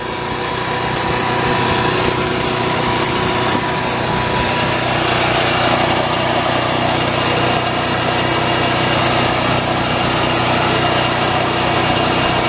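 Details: Onan 4000 RV generator after carburetor replacement and governor screw adjustment, unloaded: steady even drone with no surging, hunting or cutting out, governor holding speed; normal running.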